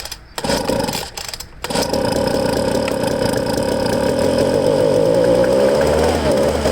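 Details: Used Ryobi two-stroke handheld blower from a garage sale, primed, no choke, tank emptied, running on fuel left in lines; a couple of sputters then catches and holds a steady buzzing run with pitch creeping up; good compression, runs properly.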